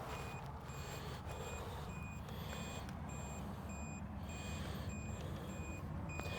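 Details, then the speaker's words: Abandoned tow truck in Plant City, Florida, jump boxes engaged before a start attempt: a sharp high beep about once a second over a low rumble. The jump pack is showing a voltage warning. "this one over here is beeping and getting mad oh it says something about the voltage it looks like i don't know"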